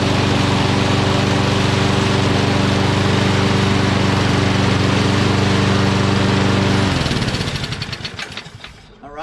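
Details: Curbside Toro Recycler XT675 self-propelled mower with Kohler engine, started on fresh gas after sitting a couple of days: steady, even speed for several seconds, then winds down cleanly at shutoff; running properly.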